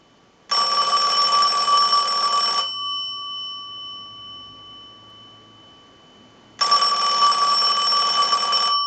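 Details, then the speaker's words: Western Electric Princess telephone, final checkout after repair, analyzer ring cycle: two clean bursts of bright rapid bell ringing, about two seconds on and four off, over faint electrical hum; healthy ringer. "Now what we want to do is use the analyzer and send a ring cycle like you were getting a call, so we'll start that. We'll let that go a few times."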